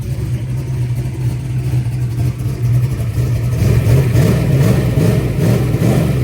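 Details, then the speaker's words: Freshly revived V8 fires up and runs at about 2,000 rpm with 70 psi oil pressure: a deep, even burble climbing with revs, hitting on all cylinders, sounding healthy; successful fire-up, normal running. "it's kind of weird that you say that but damn damn that thing sounds good successful fire up I would say"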